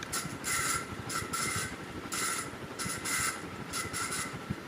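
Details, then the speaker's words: Roughly 20-year-old bedroom ceiling fan: repeating scratchy, squeaky bursts about once a second that keep time with its turning, from bad bearings; the fan is being replaced. "means the bearings are bad so we're gonna step through replacing it"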